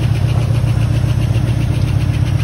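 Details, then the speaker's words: 1979 Ford F-150 Custom tool-body truck, sitting since 1999 in a scrap pile, running after cold start, before coolant added: light, quick, even ticking over a rough V8 idle, keeping time with engine speed; slight lifter tick, expected to go away with running. "a little bit of a lift to tick but nothing nothing bad I think that will go away the more it runs"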